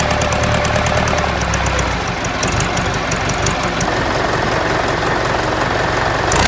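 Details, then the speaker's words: Ford 4040 industrial diesel tractor before injector rebuild: uneven stumbling clatter instead of a smooth idle, puffing smoke; misfire from faulty injectors, number two worst, streaming fuel instead of atomizing. "that way y'all can kind of get an idea of what it ran like before you can tell it has a mess and a puff and smoke and it just didn't sound near as smooth as it does now"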